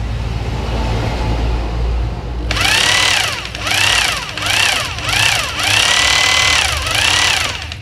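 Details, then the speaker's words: Maktec MT870 rotary hammer drill (two-function switch), tested after repair of weak power and weak hammer blow: spins up sharply into steady high buzz with rapid hammer chatter, running evenly; sounds healthy. "ya seperti itu ya dudura bunyinya ya cukup gurih juga di telinga"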